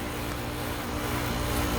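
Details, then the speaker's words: Old R22 2.5-ton condenser after replacing failed fan motor, energized by pressing contactor: steady even whoosh of air with low constant hum, no rattles or scraping; new fan motor running normally, rotating correctly. "press in the contactor verify operation for the fan motor I know it's rotating right because I've seen it when it started but we'll let it slow down here"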